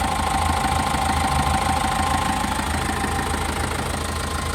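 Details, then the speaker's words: Foton Transvan with 4JB1 diesel, crank-no-start after stalling, no check engine light; after fixing an unpowered relay: diesel ticks over at an even clatter about three beats a second, steady normal idle. "So start natin yan. So umandar siya. So ito lang yung ginalaw natin. Ito ong relay na 'to."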